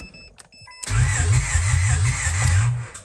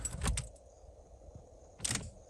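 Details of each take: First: 1996 Honda Odyssey RA1 with new plugs, wires and rotor: starter cranks evenly about two seconds without firing; fuel pump primes and relay clicks, getting fuel but no spark, distributor suspected. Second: 1996 Honda Odyssey RA1 that cranks but won't start (new plugs, wires and rotor, no spark; distributor suspected): at key-on, sharp relay clicks then a faint hum as the fuel pump primes normally.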